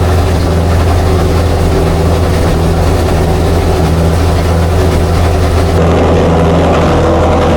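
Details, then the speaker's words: Chrysler 440 Six Pack V8 with rebuilt triple two-barrel carbs, warming up: loud lumpy fast idle, lopsided choppy beat; water-bottle check finds four cold pipes, four cylinders dead, running rich, cause unknown yet. "he finds two cold pipes on the passenger side and two more on the drivers four cylinders are not working"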